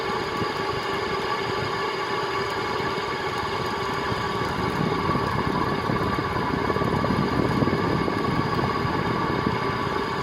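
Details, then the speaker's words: 1979 SMC M48 three-metal-blade ceiling fan: steady motor hum with fast, uneven clicking and clunking from bad bearings, probably from dirt, rust and gunk. Contact cleaner, oil and WD-40 did not help, and WD-40 made it worse. Bearings to be replaced. "you can hear that clicking and clunking probably which is the it's due to the dirt and gunk or rust or whatever that's in the bearings"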